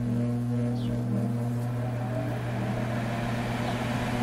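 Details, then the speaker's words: Furnace/air handler blower motor bench-tested on the blue (medium-speed) wire: smooth steady hum with even airflow, noticeably slower than high speed on black, no rubbing or rattles, normal blower motor running. "can hear how much slower that is from the first one."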